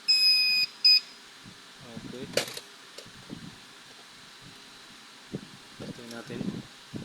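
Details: TBE 500W 12VDC pure sine wave inverter at switch-on: two high beeps, a longer then a short one, then quiet apart from handling; normal power-up signal of a working inverter.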